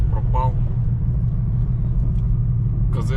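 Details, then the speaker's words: Honda Accord 8 2.4, front brake caliper knock fixed by fitting greased GAZelle caliper guide pins; driving over bumps, only steady low road rumble, no front clunks; knock gone. "направляющие спасают прям, [ __ ] чётко спасают. Так что не вставьте, не бойтесь, нормально всё. Вхотовке лишних стуков нету."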